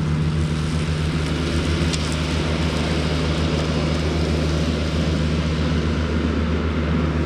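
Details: Cushman diesel front-deck mower, bought with a supposedly bad hydraulic pump, tires re-aired, mowing the yard: deep, even diesel drone with a steady low thrum under load, no knocks or surging; it mows nicely.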